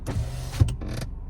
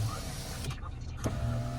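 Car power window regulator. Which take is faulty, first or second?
first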